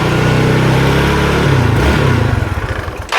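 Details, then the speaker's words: Yamaha Mio Sporty 115 scooter with no idle and hard starting, the carburetor just filled with fuel. Engine speed hunts up and down, then sags and dies: unstable idle and stalling from a vacuum leak at the fuel cock. "Paiba-iba paiba-iba siya ng andar oh. Naka-stady lang naman 'to."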